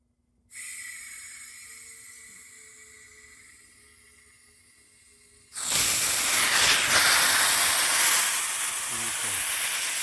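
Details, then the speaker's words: Refilling a carbonation CO2 cylinder through a refill adapter, valve cracked slowly: a faint hiss, then a loud, sharp, steady rush of escaping gas; the adapter is leaking because it isn't screwed on tight enough. "not on tight enough that's why that happened okay now I tightened it on there some more"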